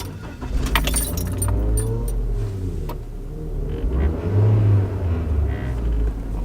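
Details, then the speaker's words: Petrol car engine revving up and down smoothly after an exhaust specialist welded and braced the exhaust; no blowing, rasp or ticking, and much quieter than before the repair. "sounds so much better okay let's do a quick little comparison this is what it sounded like before and this is what it sounds like now that's so much better"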